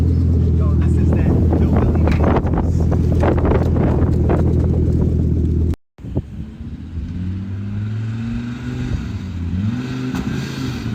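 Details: 1986 Audi 4000CS Quattro that sat for a few years, just started: strong, even idle hum, then smooth rising and falling revs with no misfire or knock. Normal idle.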